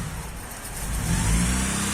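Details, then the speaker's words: Honda Prelude with a bigger-than-stock cam, cold start after sitting, new battery: deep uneven drone that swells and sags heavily; owner suspects the cam and that it needs tuning. Idle surging on cold start. "as you guys can hear it's got a major problem with surging after i got the call back from the mechanic i think the comments go for tuning or something but it's she's surging quite heavy just that cold start"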